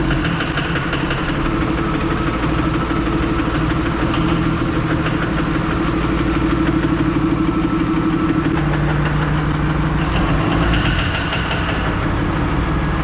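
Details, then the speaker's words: 3rd-gen diesel with new BD Diesel 90 hp injectors at idle: loud, hard rattling knock about three per second over a rough idle, white smoke. Owner suspects overfueling; diesel wet at the ports, all injectors going back. "So I go fire it up and right away it's running, knocking like crazy, smoking white. I shut it off and it doesn't want to shut off."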